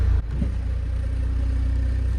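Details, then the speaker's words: Saab 9-3 project car with newly installed 2011 engine and transmission, first drive, still warming up: odd constant hum over the idle drone while in gear, louder at first start, goes away on throttle; cause unknown, possibly transmission. "Yeah, it was definitely way louder when we first started the car. It's like almost not there anymore. But then as soon as you press the gas, the sound goes away."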